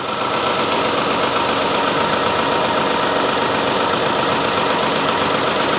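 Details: 2011-2020 Toyota Sienna 3.5L V6 2GR-FE idling after alternator replacement and coolant top-off, charging properly; smooth steady idle with even hiss and whir, no knocking, squeal or belt/alternator whine; normal idle.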